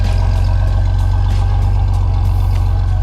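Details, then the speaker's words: 1987 Pontiac Fiero idling about ten minutes after AC repair and recharge, leaking accumulator plug fixed, AC on high, windows closed, fan on radiator: steady smooth drone under compressor load, no squeal or cycling clicks; AC blowing cold, working normally. "I have the a/c running I have all the windows closed the a/c is on high it's still cold"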